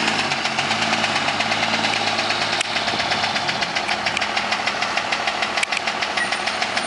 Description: this is a video of my 02 dodge ram with the engine knocking